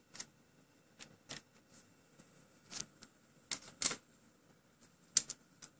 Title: PS3 drive makes a really loud rattling noise